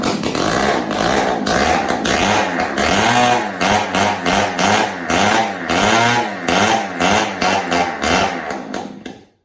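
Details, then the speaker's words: Yamaha PW80 two-stroke on first start after a full rebuild, run with no muffler: loud crackling exhaust, revs blipped in quick surges, running freely. The kickstarter still has issues. "Holy crap, dude, it freaking worked. No muffler on that thing. It's loud as shit, though."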